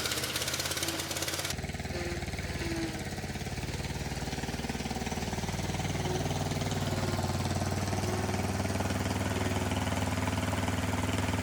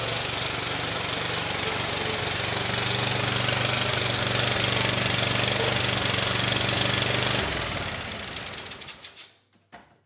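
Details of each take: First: Kohler SV730S-0011 V-twin on a Bobcat zero-turn mower (Ransomes 942205) runs steady and even with the deck spinning via the electric PTO on a severely cracked belt; no knocks, slips or belt squeal, engine and PTO working normally. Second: Bobcat zero-turn (Ransomes 942205) with replacement Kohler SV730S, started on starting fluid: harsh rasping exhaust bark about four pulses a second, then winds down and stops; very loud, owner suspects hole in likely original exhaust, head gasket unconfirmed.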